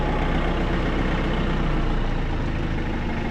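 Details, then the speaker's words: John Deere 110TLB backhoe loader, 4100 hours, diesel, after hydraulic oil change; steady low drone at a slightly raised idle with no knocks, the automatic cold high idle kicking in briefly; running normally. "Oh, it got cold enough there. It put on that high idle for a minute. Interesting."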